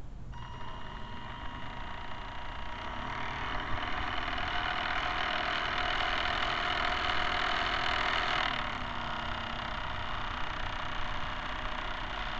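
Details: Camera barge electric drive, first test run with a two-axis gimbal on top. It rises into a loud rattling whine with a quick regular tick, about four a second, from the dog-bone motor-shaft couplers; flexible hose couplers are planned.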